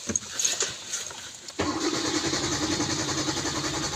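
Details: Hyundai Accent petrol engine with damaged wiring and replaced relays: starter cranks steadily but the engine never catches; a faulty wire is found.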